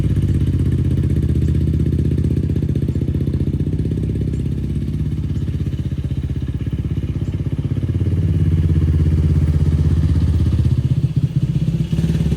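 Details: 2004 Yamaha YFZ450 quad after sitting, carburetor cleaned for a clogged pilot jet and new ignition fitted, on a freshly hooked-up battery: steady low single-cylinder thump about four pulses a second, even with slight swells, no misfire; fan kicks on. Normal running.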